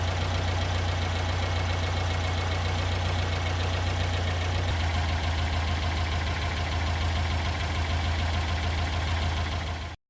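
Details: 1974 Porsche 912 engine with freshly broken-in cam and rings, during tune-up with off-idle stumble: steady idle sags to a lower, slightly rougher beat as carburettor mixture is leaned, then cuts off; idle speed drop from lean mixture.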